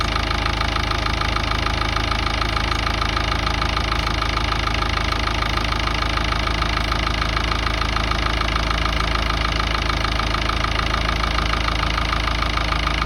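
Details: Ford Ranger 3.0 Power Stroke diesel at idle: a sharp knock about three times a second over the idle, happening intermittently when turning the steering hard or parking, then stopping; source unknown.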